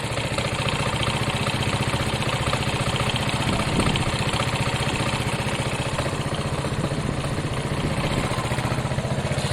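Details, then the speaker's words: Piaggio Fly 125 scooter after an engine swap and a new clutch, idling quietly and evenly with a single-cylinder putter and no knocks or rattles; it sounds much better with that clutch. Normal idle. "It's quiet. They normally run fairly quick. They're not the quickest, but they run okay. Sounds much better with that clutch."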